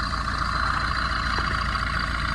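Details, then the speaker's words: 2011 Tata Vista diesel, 124,000 km, idling: steady idle with a constant high whirring ring over the clatter from the intermediate drive-shaft bearing with broken housing; timing chain found not to be the noise source. "இதனால தான் இது ஒரு noise வருது. இதுதான் இன்ஜினோட original noise."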